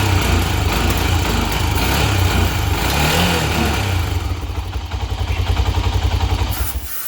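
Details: 1997 Honda 300EX after an oil change (about 1 3/4 refilled) and new brake pads: a strong, even low thump settling into a steady idle before shutdown. The single sounds healthy.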